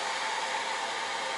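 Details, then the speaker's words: Newly installed TABODD 12V 5kW diesel air heater in a camper, tested before final wiring: even, smooth rushing blower hum with no rattles or surging, outlet air about 120 degrees; normal running. "can hear it running and everything, and I thought, you know what?"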